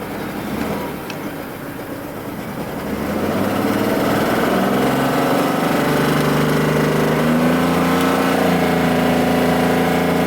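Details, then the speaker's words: Mercedes W140 S600 V12 with a newly installed wiring harness, revved to under 4,000 rpm: steady idle, then revs climb slowly and lazily. The engine feels hampered and won't accelerate properly; the owner suspects the wrong air-fuel mixture, but the cause is uncertain. "it sounds nice it just ain't firing right it's got the wrong air fuel mixture or I don't know runs on its own accord though just doesn't want to accelerate the way it should"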